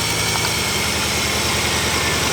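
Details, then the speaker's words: Mk2 Ford Focus ST misfiring at idle, coil packs unplugged one at a time: idle turns lumpy and pulsing on cylinders one to four, cylinder five unchanged, pointing to that coil pack as the fault. "you can hear that's changing straight away same with two same with three definitely same with four five nothing's changed which will probably tell us that this coil pack here is the issue"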